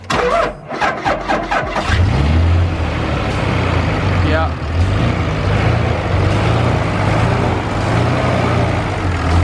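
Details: Dodge Ram 2500 Cummins diesel, sat all winter, cold start boosted with Noco Genius pack: slow cranking pulses about 1.5 s, then catches and settles into steady even idle rumble; normal cold start.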